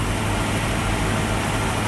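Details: 1965 Mustang V8, 650 CFM Street Avenger carb, cold and warming up: deep, steady fast idle around 1200 rpm, nothing knocking; electronic choke function uncertain.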